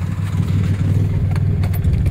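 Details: Turbo project car idling roughly after Y-pipe and catch can fixes, low rumble cut by sharp irregular puffing ticks from a hole in the exhaust manifold; owner considering a JB Weld repair.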